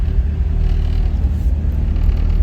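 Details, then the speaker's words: B-series-swapped Honda CRX idling right after fitting new Hasport engine mounts: low, steady idle rumble with an even beat and no rattles or knocks; far less vibration than with the old mounts. "I can tell right off the bat it's a lot it's a lot less vibrating I wish I had a clip of the before mounts I might I'll see if I do but yeah this is a whole lot better"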